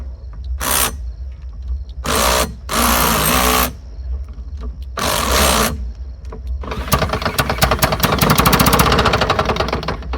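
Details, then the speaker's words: Lawn-Boy "bricktop" two-stroke mower spun with a drill after a shot of carburetor cleaner down the throat: short cranking bursts, then rapid popping for a few seconds as it catches and briefly starts. "Okay, started. So we know it's going to run. Well, that's a good thing."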